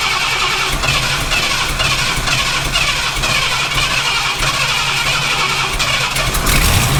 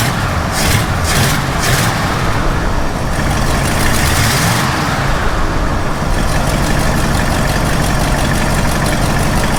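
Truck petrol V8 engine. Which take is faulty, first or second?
first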